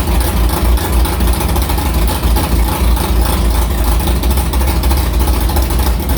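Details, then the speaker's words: Carbureted V8 hot rod with Prosystems carb, idle air bleeds swapped .070 to .055 after a track carb issue, ~80°F day, fired up quickly; deep, choppy lope around 1200 rpm, loud and steady without stumbling or dying, a normal idle. "I think we got the carburetor figured out pretty good. I mean, it fired up pretty good."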